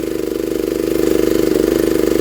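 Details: 1960s Honda ED250 DC-only generator, running while its DC output is metered at about 14.6–16 V: a small single-cylinder engine at a steady, even beat with a smooth hum, no misses or knocks; runs extremely well, normal running.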